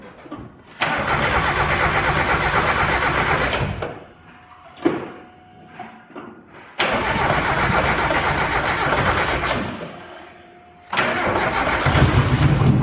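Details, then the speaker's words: Turbo Mazda Miata, start after belt and pulley work with valve cover only loosely placed: runs in rough bursts with a hissy, leaky edge from the open engine. "Well, you can hear how many leaks it has, but that's already the valve cover or anything isn't even on. That's why."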